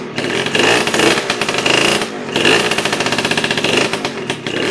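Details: First start of an MT5 after renovation: buzzy, high-pitched two-stroke crackle rising and falling with throttle blips, firing steadily without misses; the little engine runs fine.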